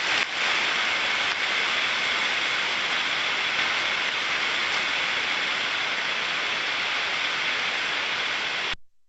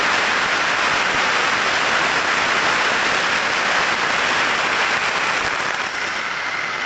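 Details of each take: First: Ultrasonic inspection of a bearing during ultrasound-assisted greasing: a steady, even hiss with no crackle, stabilised at 30 dB. The sound turns clean and flat rather than rough, showing optimum lubrication has been reached. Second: Ultrasound probe on a bearing during grease-assisted lubrication: a steady hiss whose decibel level falls as grease goes in, then climbs again with continued greasing, showing over-greasing and added friction from excess grease.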